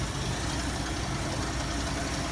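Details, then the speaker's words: 1973 Ford Mustang convertible, 302 two-barrel Autolite 2100 carburetor, about 21,000 original miles after 40 years of storage: lumpy, rough idle at only 400 rpm, too low because the idle hasn't been reset with the throttle position solenoid. "now if you listen to the engine it sounds like it's running kind of shuttle and it is look at the tachometer it's running at 400 rpm at idle in part way too low for normal idol"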